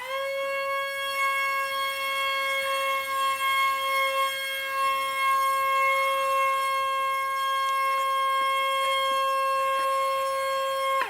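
Steady, even high whine holding one pitch for about eleven seconds, then cutting off cleanly; a healthy small brushed motor at full throttle.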